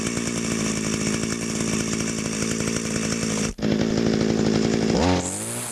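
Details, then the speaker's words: Echo grass trimmer two-stroke with a centrifugal clutch. A steady buzzy run, then the pitch sweeps as the idle screw is adjusted, set fairly high. The engine is healthy, normal idle. "on this trimmer because it has a clutch the trimmer line isn't always turning so what I do is I set the idle pretty high so that the motor idles faster"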